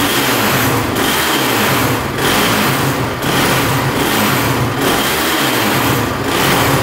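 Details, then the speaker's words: Honda TRX450 quad bogs and won't rev out: single-cylinder runs rough, surging and sagging about once a second and keeps turning off; runs better without choke, owner suspects too rich/flooding from leaking carb, possibly spark plug. "thank you yeah she just keeps on turning off very weird could be a spark plug as well"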